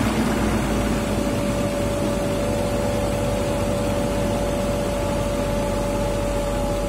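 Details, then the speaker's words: BMW M52 inline-six after new spark plugs and ignition coils: steady, even idle with constant hum and no misses, knocks or shaking; running smoothly. "Mesinnya halus, berarti kita udah bisa matiin mesin dan membereskan semuanya kembali."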